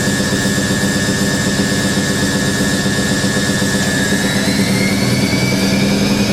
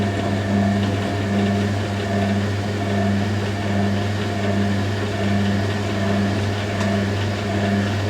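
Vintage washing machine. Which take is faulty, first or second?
second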